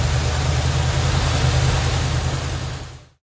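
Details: 1977 Chevrolet C10 350 4-barrel 165 hp: heavy, uneven low pulse, lumpy beat about three per second, then shutdown; dead cylinder, maybe a valve not opening, cam lobe or lifter suspected.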